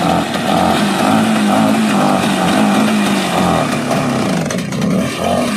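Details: Bajaj Chetak two-stroke scooter cold started after 15 years unused, without choke: continuous raspy buzz, about two pulses a second with a slightly wandering beat; the old engine has fired and keeps running.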